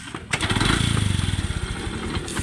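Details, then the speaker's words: Yamaha YTX motorcycle, very noisy engine that other mechanics suggested overhauling: fast, hard clatter on the firing pulses as it catches; the cause was a damaged starter bendix (loose drive bolts), not the bottom end, so no overhaul was needed. "so ang problema niyaong bindex niya so i-check na ong bindex niya kabalo ko na-damage bindexagon"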